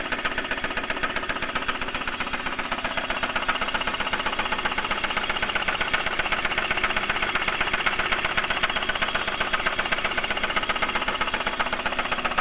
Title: 3000gt lifter tick or spun bearing